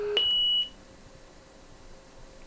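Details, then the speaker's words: Marantz PMD 520 3-head cassette deck running auto bias at normal speed: a short high beep, then a clean steady high test tone as it calibrates normally. "stop auto bias okay and these are the biased chit tones but"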